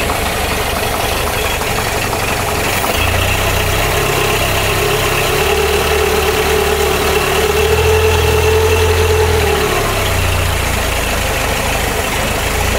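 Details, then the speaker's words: Carbureted engine restarted after a coolant purge, at 13.7 °C outside: a thin, mid-pitched singing over a steady idle, like a pulley whining at the timing belt. Owner suspects the belt is slightly overtightened (unconfirmed). Carburetor intake suction is normal; the breather is blowing. "par contre on entend comme un galet qui chantent au niveau de la courroie de distribution les bombes du possible qu'elle soit un peu trop tendue"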